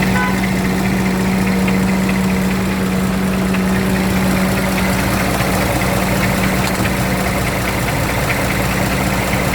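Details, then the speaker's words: Scania truck diesel idling before teardown: a dull, uneven knock under the clatter at half crank frequency from a worn camshaft injector-pump lobe on cylinder six, louder from one side. "Да и соответственно периодичность этого стука будет проявляться в два раза реже чем обороты коленвала"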